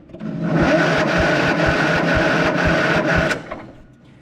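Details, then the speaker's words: Kohler Command 16.5 hp engine on a Craftsman riding mower, solenoid jumped: slow, labored cranking at about two compression beats a second without firing; starter turns it but very slowly, owner suspects the starter is about shot. "Well, it does turn over. So, I know that the starter is kind of okay. It turns over pretty dang slow."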